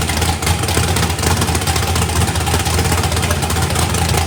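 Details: Fresh 409ci small-block Chevy race car engine, first fire-up with the turbo off and a weak battery: a deep, loud, lumpy V8 rumble running steadily with no knocks or misses; healthy.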